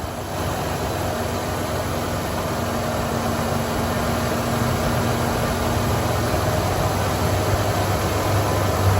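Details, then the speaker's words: 4.9L 1988 Ford Econoline E150 after serpentine belt replacement for a squeak, no belt dressing: steady, even idle with a low rumble and no chirp or squeal; normal idle. "wow she's as quiet as ever"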